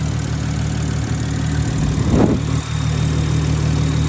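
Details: Big-turbo Supra with a custom fuel system revised for a low reflex fuel pressure sensor, first start on a battery tender after re-pressurising the lines: low steady idle with one short rev blip, settling smoothly, no miss.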